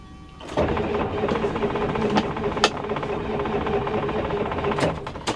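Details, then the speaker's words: Ford F Super Duty IDI diesel with no batteries, cranking on two booster packs in cold weather after losing fuel prime. It gives long, slow, labored, even cranking that never catches, taxing the packs heavily; it is a no-start. "I can already hear it's taxing those booster packs pretty heavy. The good news is it cranks over."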